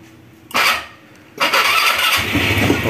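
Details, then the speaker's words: Motorstar ADV 175 scooter that would not start, after cleaning dirty, non-contacting switch with contact spray; short burst then catches at once into steady even running; normal start. "Umandar na kaya. So yun lang ang problema yung dito. Marumi lang yung switch kumbaga hindi siya nagco-contact."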